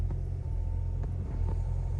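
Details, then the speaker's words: Hyundai i10 idling after an engine noise fix, heard from inside the cabin: only a low, steady, even hum with no knocking or rattle; engine idles smoothly and quietly. "Sound check कर लीजिए sound बिल्कुल भी नहीं आ रहा अंदर गाड़ी के engine का"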